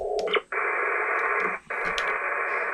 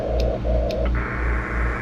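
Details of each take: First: HF ham receiver with the generator and everything else off: steady even hiss across the band with two brief dropouts and no buzz or whine, the normal neighbourhood noise floor. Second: Inverter generator under load, cord off the ground, running a portable AC, heard on an HF ham receiver in CW mode: loud steady buzz, pulsing hum and high whine over hiss at 59-plus, only slightly reduced by filters.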